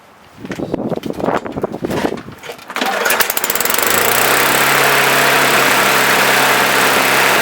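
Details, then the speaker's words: Curb-rescued Bolens lawn mower test run right after its carburetor was cleaned and regasketed, primed four times: a few pulls, then the engine catches and runs steady but with an uneven shake; owner calls it out of balance. "Out of balance."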